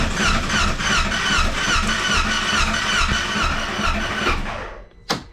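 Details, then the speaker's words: High-mileage Polaris Ranger 900 XP (14,574 miles) that quit running, aftermarket cam chain tensioner: starter spins fast and even, about two pulses a second, no firing, little resistance; low compression or timing issue suspected, possibly jumped cam chain. "all right so she's spinning over quite fast and I'll pin in sounds like it's low on compression or we have a timing issue"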